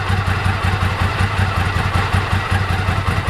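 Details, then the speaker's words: 1998 Ducati ST2, 10,596 miles, original exhaust reading about 72-74 dB at tick over after new clutch, fuel pump, HT leads, Brisk plugs: deep, lumpy but even thumping idle, no knocks or rattles; healthy twin idle. "its original exhaust is about 72, 74 original, which is good, quite interesting actually, quite high for standard exhaust, but it's 1998 model, so that's the decibels."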